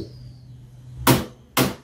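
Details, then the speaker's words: Electrolux washing machine with error E40 after door lock replacement: two sharp clicks about half a second apart as the door lock releases, then quiet; lock works normally and the E40 error is gone. "là chỉ kêu cạch cạch hai lần này đó là mở cửa mở bình thường này à ừ ừ"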